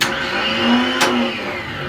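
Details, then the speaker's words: Spare starter motor from an automatic, bench-tested on a battery with jump leads; sharp clack as the pinion throws out, then a clean, even whir spinning up smoothly; starter working normally. "so you've got two things that are happening there one that little that little gear there that meshes with your flywheel is what they call throwing throwing out so it throws forward and that's what engages it with the flywheel and then it's cranking"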